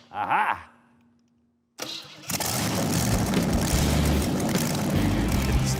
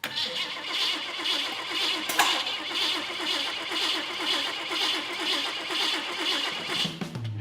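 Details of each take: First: Custom build engine fitted with the old original coil: brief crank, instant catch, steady even run with no misses or knocks; healthy engine. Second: Custom build engine on start after fuel pump install and new wiring, fuel pump heard priming: starter churns steadily at about two turns a second, never fires; crank no start, suspected firing order or spark issue.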